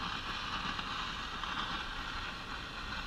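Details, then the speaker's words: Steady hiss and crackle with no clear programme on an Arvin tube radio, heard at power-up after replacing a defective 50L6 tube. The volume control has no effect on the noise, and bad capacitors are suspected but not confirmed. "okay we're pulling in a station here lot of noise and static"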